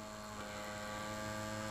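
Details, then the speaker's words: Restored 1946 Ekco CR32 valve car radio at switch-on: steady even vibrator power-supply buzz with fixed whine, no stutter, as the valves light up; normal. "you can probably hear the buzzing of the vibrator at the backing so the valves lighting up"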